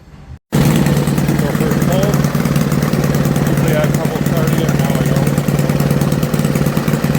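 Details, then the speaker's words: Toro 524 snowblower after tune-up with aftermarket carburetor fitted: small engine catches on first pull and holds a fast, steady, even beat, idling a little high, no stumbling; normal running. "It's throttling a little high, but I actually like that because when it snows you need it to throttle high, not low."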